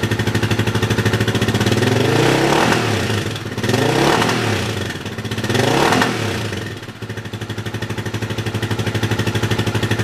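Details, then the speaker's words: Yamaha 660 single-cylinder after rejetting and needle adjustment for a lean condition, in neutral: single thumps at idle, swells with each blip, slight breakup on the rev; still a touch lean but pretty good. "Okay, still a little breaky-uppy, but it's pretty good."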